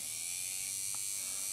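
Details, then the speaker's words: Fleischmann BR 78 model locomotive motor, previously seized, freed by flushing with isopropanol before greasing and digitalising: a steady, even high-pitched buzz with no catches or rattles; motor spinning freely and running normally. "Motor läuft wieder ne das heißt der hat da irgendwie festgesessen keine Ahnung auf jeden Fall hat sich das Ding gelöst und der Apparat funktioniert ne"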